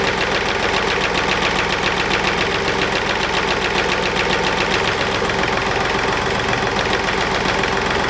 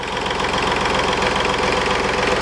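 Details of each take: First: Mercedes Smart Fortwo 451 2010 0.8 diesel just after fuel filter replacement (MAHLE KL-165/1): steady idle with usual clatter, running evenly without stumbling; no air in the system or it would have stalled; a loose plastic diffuser clip rattles. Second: 2010 Smart Fortwo 451 0.8 diesel idling after fuel filter (MAHLE KL-165/1) replacement: fast buzzy plastic rattle on the engine beat as the fan shroud (diffuser) rattles; worn plastic Mercedes latch loosens over time.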